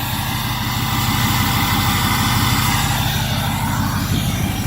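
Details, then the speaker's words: 2005 Ford F250 4x4, 6.0 Powerstroke turbo diesel, about 180,043 miles, EGR delete, 4-inch turbo-back exhaust, remote cold start at 30°F: deep even diesel clatter at steady cold idle, no misses, knocks or smoke; healthy, strong-running engine. "But no smoke, nothing weird, nothing strange. It's a strong running 6-liter."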